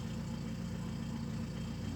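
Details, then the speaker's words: Car with P0507 high-idle fault, nearly warm after about 10 km of driving: low, steady idle around 800 rpm, the expected speed, running evenly with no hunting or misses. "Где-то, наверное, 800. Так, двигатель работает вроде ровно."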